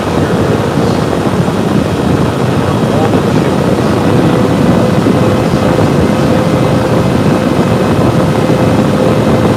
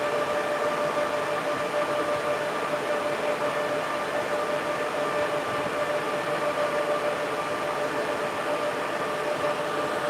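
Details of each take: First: Server under stress test on the stock air cooler with the side panel off, CPU temperatures reaching about 80–85 at the end of the test: loud steady fan roar with a faint whistle as fans ramp to full speed from CPU heat, before a liquid loop install. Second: Server with a 96-core Genoa CPU: cooling fans at full speed give a loud steady rush of air with a constant mid-pitched whine and no rattle, strong enough to set a small tripod blowing in the wind.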